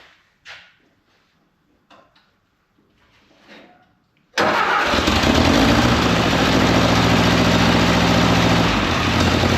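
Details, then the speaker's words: 1950s–60s "doodle bug", possibly a former golf-course or highway mower, after the coil was powered with an alligator-clip jumper wire. Quiet clicks, then it catches at once and settles into a steady, even idle with no misses or knocks; oil pressure present. Normal idle. "Oh man, listen to it purr. That thing's running good. It was running good. Had oil pressure."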